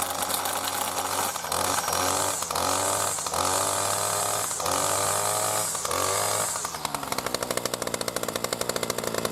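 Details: New B&Q 25cc petrol two-stroke strimmer at first start after 3–4 primer pumps, getting fuel through: a high steady buzz drops to an even, popping idle with no misfire. Normal running.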